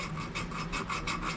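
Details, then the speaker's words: 1968 Fiat 850 Spider cylinder head rebuild to fix head leaking, hand-lapping a valve with compound: rhythmic gritty rasping about three strokes a second, loud and scratchy, seat still rough. "You can kind of hear the rubbing there. And as you rub, it'll eventually start to get quieter and quieter because it's starting to smooth out."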